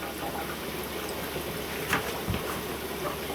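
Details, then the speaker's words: iFlow tankless combination heating system, hydronic coil bled via return-line drain port: smooth even water rush with slight turbulence, no gurgling or burping; air fully purged, steady flow. "All the air is gone, nice steady stream. There's no burping of the air through there."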